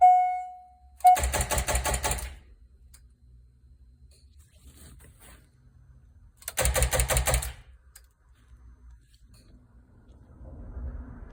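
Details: C5 Corvette Z06 keyless donor car, no start: two bursts of fast, rattling clicks when starting is tried, and the engine never cranks or fires.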